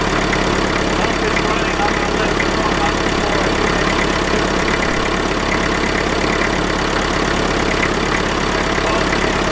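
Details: IMT 560 tractor diesel after a temporary electronic fuel pump install, with pump pressure about 3.5–4 psi. Steady chug, about three and a half evenly spaced beats a second, with no misses. Healthy idle.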